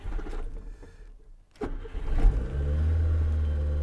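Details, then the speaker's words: 1987 Nissan Be-1 right-hand-drive manual pike car; engine catches, runs a few seconds with a low uneven note, then cuts out after a weak start, stalling shortly after firing, though it is running again afterwards. "okay it went out it's just that it died okay and it's running so it's okay"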